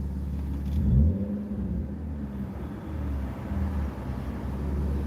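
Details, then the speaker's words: Rare manual 6-cylinder BMW E36 sedan, restarted after a suspected fuel no-start, with the battery possibly done: low, smooth engine hum with gentle swells in revs, even rhythm, no tapping or grinding; sounds good when running. "I'd rather go and park it and see how we go tomorrow. I think that'd be best. Whew, she sounds good though when she's running."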